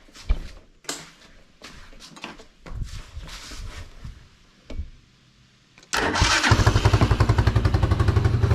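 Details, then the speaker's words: Tao Tao ATV engine after ultrasonic and carb-cleaner carburetor cleaning and coolant top-up: several slow cranks, then it fires instantly into an even single-cylinder putter; healthy start, carb clean fixed running, wiring problems remain. "It starts right up. So far, the carb clean fixed everything there."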